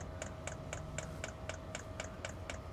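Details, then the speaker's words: Diesel heater's dosing pump after contact cleaner was sprayed on connectors following a pump failure error: crisp, evenly spaced clicks about four a second over a quiet hum; pump pulsing fuel normally. "Okay, pump is definitely running."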